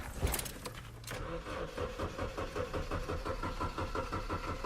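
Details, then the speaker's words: Ford Fiesta Mk6 Zetec, late at night in a car park: starter turns the engine in a steady chug about three beats a second but never fires; then acted like a flat battery, though battery connections are fine; cranks but won't start. "Basically, what happened straight away is it wouldn't tick over. It would just, so as soon as you like start it like this, basically it would just go duh, duh, duh, duh, and then wouldn't happen."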